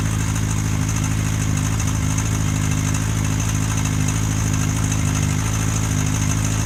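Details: Honda CBR1000F Super Sport with a bad timing chain tick, about 2,000 km after a supposed major service. Idle was raised to mask it without success; the oil was thin and dirty and the filter seized. Fast light ticking over a steady, slightly high idle.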